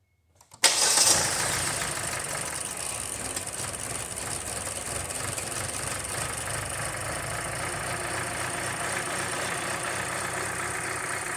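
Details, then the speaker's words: 2018 Kia Forte 2.0 four-cylinder with check engine light, misfires and exhaust-cam over-advanced timing codes: it starts, then runs a rough, uneven, hissy idle with a loose rattle through it. "the customer's concern is that it's running rough making some sort of kind of rattle noise and obviously check engine light"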